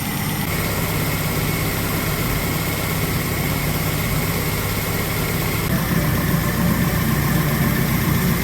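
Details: 1990 Isuzu Trooper, 2.6 four-cylinder, 5-speed 4WD, after an engine reseal and EFI-to-carburetor swap, idle just raised: steady low rumble that stays even throughout with no hunting or stumbling. Normal smooth idle after the carb adjustment.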